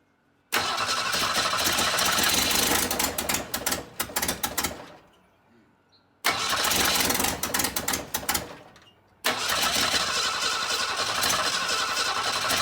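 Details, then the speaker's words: 1962 Ford Falcon, the next day after confirming spark at every plug and cleaning the plugs: it fires and runs in short bursts, then dies three times and stalls if the throttle opens past a crack; exhaust gasket leaking, plugs, wires and rotor suspected. "no not at all it's got like no like if I try to do anything other than Lakers crack it open just a little bit"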